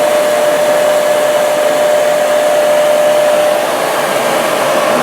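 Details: Used 22-year-old 8" bench grinder with a stone and a cleaner brush wheel, plugged into a 20 A outlet: it spins up with a smooth, steady mid-pitched whir, no grinding, knocking or wobble, working fine.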